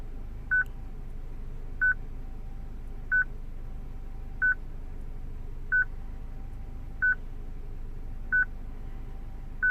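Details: 2006 Citroen C3 petrol, replacement radio from another car not coded to this car's VIN, radio otherwise working: single clean beep about every 1.3 seconds in a quiet cabin, radio security lock; fixed by programming the radio.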